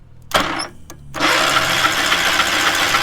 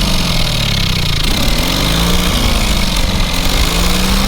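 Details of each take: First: Small engine on a free trailer-mounted cherry picker man lift, kill wire cut, carburetor thought junk: cranking clicks, then it catches briefly into a rough uneven buzzing run; has spark and seems to have decent compression. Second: Small single-cylinder engine on a trailer-mounted cherry picker man lift, half throttle, water found in the oil and corroded intake: steady deep even beat, slight speed wander, no knocking or missing; runs amazingly well, normal running.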